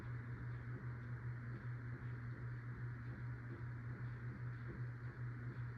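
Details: CEI HC-52 hugger ceiling fan, possibly Sears-sold, shown on low, medium and high: quiet motor hum with faint regular tick; bearing noise developed within the last nine years, plus slight wobble noise, still moves air okay.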